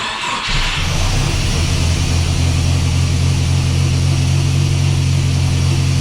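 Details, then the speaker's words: Chevy S10 swapped with a Mercruiser 140 engine, factory TBI with a turbo on the factory computer: catches, then runs lumpy and uneven and won't idle, with a backfire. Owner suspects the tune; fuel pressure reads 90 psi and a fuel pump change is planned. "As you can tell, something is wrong. I just tried to backfire there, and it will not idle."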